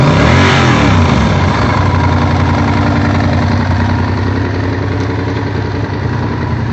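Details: Honda VTR1000F V-twin at idle with a quick blip: a dull, rattly knock riding on the beat, later cured by replacing the cam chain tensioners. Cam chain tensioner knock.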